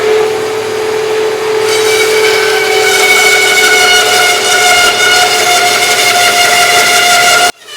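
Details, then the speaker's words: Harbor Freight bandsaw with upgraded Leeson 1 hp 1725 rpm motor, cutting two stacked 2x4s: steady bright whine holding pitch, no bogging; the blade popped to the side, so the saw needs adjusting. "so i need to kind of adjust everything now that we got some power because that went a whole lot better than i had in the past"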